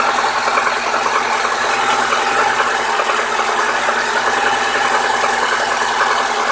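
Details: New Lada Niva 21214 on a cold engine. A fast, irregular ticking knock over engine clatter, localized near cylinder 4 on the manifold side, which disappears once fully warmed to 70-80°C. Cause unknown.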